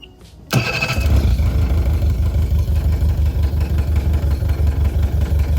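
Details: Swapped engine on a Powercat boat, plug wires pulled one by one while it runs: it settles into a lumpy, uneven low beat near three pulses a second. Every cylinder sparks and sounds the same; rough running misfire, cause unconfirmed.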